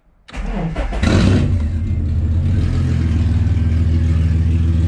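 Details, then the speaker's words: Ford AU Falcon after installing a Walbro 255 fuel pump: engine cranks briefly, catches at once and settles into a steady even idle with no stumble or misfire; normal start and idle. "So I'm just gonna let that run for a bit to make sure it's got no air or anything in it. And put the cover and everything back on. Oh, she's running good."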